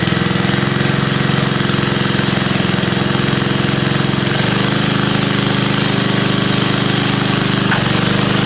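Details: Front-tine tiller with old Briggs & Stratton, cold start, run last week: steady even single-cylinder chug at constant speed, no misses, knocks or rattles; well kept, runs smoothly.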